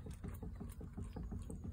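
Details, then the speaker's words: Renault Zoe front suspension with the wheel rocked side to side: dull rapid knocks from a worn lower arm ball joint, with play that shouldn't be there. "sort of side to side like that um which it shouldn't do and it's making the knocky noise"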